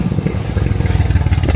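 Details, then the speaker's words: Mercedes-AMG C63 S Edition 1 crashed donor car on first start: lumpy idle with uneven pulses and occasional stumbles; a leak in the air intake system at the front, causing misfire. "So firstly, a leak in the air intake system. You can actually hear that."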